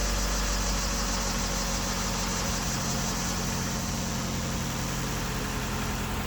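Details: 2001 Ford Escort ZX2 running for the first time in months or years, low on fuel: steady, even idle with a low constant hum, no knocks or misses; normal idle after electrical startup issues.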